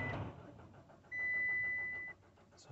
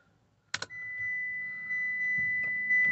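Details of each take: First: Citroen C-Crosser 2.2 HDi diesel cranks steadily but will not start; scan shows engine speed signal fault P0336, failed crankshaft position sensor. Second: Citroen C-Crosser 2.2 HDi diesel, crank-no-start with code P0336, after replacing crankshaft position sensor and clearing codes: couple of clicks, warning chime, brief crank then instant start settling to steady idle.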